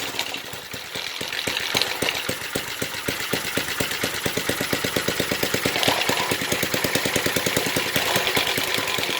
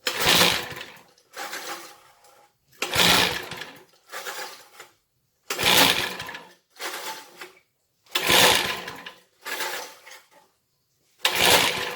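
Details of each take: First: 1970s Briggs and Stratton single-cylinder rotavator engine, revived after about 3-4 years unused, throttle open: even steady thumping beat holding speed without misses; sounds healthy. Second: 1970s Briggs and Stratton rotavator engine, unused about 3-4 years, carb cleaned with carb cleaner: cord pulls every ~2.5 seconds, sharp whirr then weaker rasp, no firing yet.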